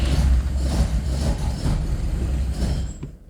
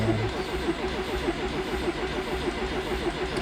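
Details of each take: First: Classic Fiat 124 Sport Coupe, twin-cam with Weber 40 IDF carbs, cold after standing 14 days in winter, after priming the fuel pump and pumping the carbs: low uneven churning for about three seconds, then it dies without catching; cold engine fails to start. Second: Classic Fiat 124 Sport Coupe with twin-cam engine and Weber 40 IDF carbs, stood 14 days in winter: cranking with fuel pump off until the oil pressure light shows oil has circulated; even, steady starter cranking with no firing, normal.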